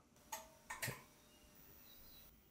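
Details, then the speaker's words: Sunsynk inverter restart with fully charged batteries: three sharp relay clicks in quick succession, then a quiet electronic hum; normal relay engagement as self-tests finish and batteries connect. "So, the relays were clicking. So, the self tests are done."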